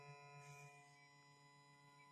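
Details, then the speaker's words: MP3 player kit installed in an old amplifier/radio: a steady buzzy hum with a thin high whine from the speaker, caused by the shared transformer and wiring. Adding a capacitor on the 12 V feed cut it only about 50%, so shielded coax input is fitted next. "tapi tetap bunyiingnya masih keluar walaupun berkurang hanya sekitar 50% ya masih ada bunyi mengganggu"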